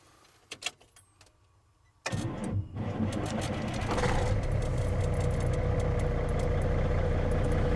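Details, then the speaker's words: 1995 Western Star truck with Cat 3406E diesel, before exhaust replacement: cranks, catches and idles with raspy, uneven chuffing instead of a smooth low rumble, louder than intact; sheared, holed exhaust flex pipe leaking. "it's not bad it's louder than without any hold but it's not a you know it's not a smooth low rumble um you can tell it just sounds a little off"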